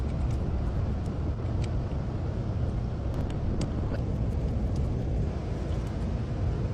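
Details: Car that wouldn't start and blew black smoke from the exhaust, after the fix; steady, even engine rumble with no misses, knocks or surging: problem solved, normal running.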